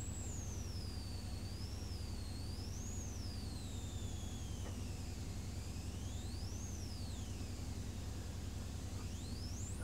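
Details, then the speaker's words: MOSFET flyback driver (Eldor 1372.9019B flyback, IRFP250N MOSFETs) on 24 V; thin high whine wandering in pitch over a steady low hum, high-pitched noise noticed, cause unclear. "24 volts. That was about 12 amps doing that. Can you hear that high pitch noise?"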